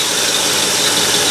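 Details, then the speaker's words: 1968 Ford Galaxie 500 V8 with Holley carb, idling after the distributor was rotated to correct ignition timing: smooth, even idle with steady hiss, no misses or hunting, idle rpm slightly high; running clean, better vacuum. "sounds the way it's supposed to parks are all lined up i've got a little bit higher rpm which i'm going to adjust with the carburetor"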